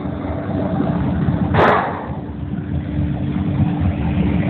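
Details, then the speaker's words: Liebert glycol cooling loop: a rough, gravelly churning rumble over a steady hum as the circulation pump cavitates on air in the system, motor current jumping between 4.5 and 5.5 amps, pipes vibrating; air being bled out to stabilize the pump. "it was jumping around between 4.5 and 5.5 amps and you can actually hear the pumps cavitating inside the pump house"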